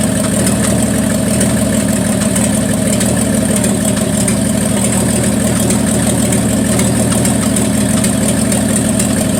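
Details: 1974 Plymouth Duster slant six, cold start at 21°F: a rough, uneven idle whose beat stumbles irregularly, a cylinder missing. The owner suspects the valve train is too tight and plans to set the valves; unconfirmed.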